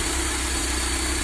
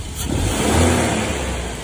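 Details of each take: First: Mercedes-Benz W201 190E with KE-Jetronic injection, previously unable to hold idle. Idle is now largely stable at good temperature but has a slightly uneven beat; it burns a lot of fuel. Owner is unsure of the cause and is setting the potentiometer. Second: 1987 Mercedes 190E non-catalyst with KE-Jetronic, after owner repairs that cured heavy black fuel smoke: smooth even rev swelling and settling back without stumble or misfire, no black smoke, running quietly.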